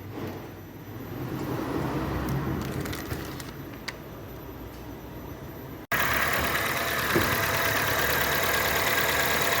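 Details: Honda Civic/HR-V checked for engine noise when shifting into drive and reverse, tensioner found with play: smooth, steady idle hum with no knock or clunk through neutral/drive/reverse changes; engine sounds healthy.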